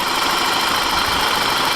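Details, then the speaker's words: 1991 BMW E30 Touring at idle before an oil detergent treatment: light, quick ticking over a steady hum, even with engine speed, from sticking hydraulic lifters. "you can hear the ticking and that's the valve sticking they go up and down"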